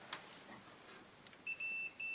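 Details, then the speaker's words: 1946 Classic TM5 valve radio restoration, continuity check from the scraped mains plug pins to the cable ends, earth then brown active wire; clean high-pitched beeps in short bursts: conductor intact. "So the earth should hear a beep. Yep. And what's the brown? Should be active."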